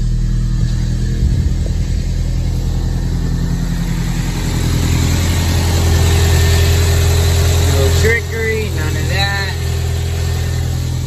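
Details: Audi A4 1.8 turbo with a crank-no-start, fuel but no spark, fixed by replacing the corroded coil relay; after the fix it starts and idles steadily with a smooth low drone and no misses, knocks or hunting; normal idle.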